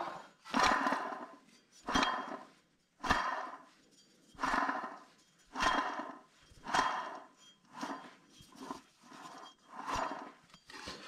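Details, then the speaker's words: 2002 Toyota Camry XV30 with 1MZ-FE V6 and ABS speed sensor fault C0210: gritty rasping about once a second as the loose hub assembly is spun by hand. Bearing is dry and rough with little play. "oh yeah bearing is pretty bad here dry and as I said it doesn't have much play but they could feel it you can hear that it's a little bit of ground you know yep"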